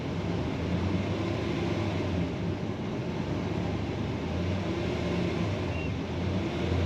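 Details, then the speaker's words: 2005 Dodge Ram 2500 Laramie 4x4, 5.7 Hemi on LPG, after clearing codes and reconnecting an unplugged sensor: low, even rumble with no misses or stumbles; running a lot smoother. "Definitely a lot smoother."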